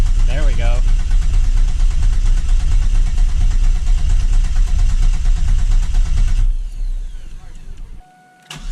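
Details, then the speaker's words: 2000 Camaro 3.8L V6 after engine reinstall, cranked with injectors unplugged to raise oil pressure before first start: steady starter churn about two beats per second, no firing; normal cranking. "so what we're going to do is just crank it and it won't start because I unplugged the injectors but we want to watch the oil pressure gauge right here and make sure it goes up"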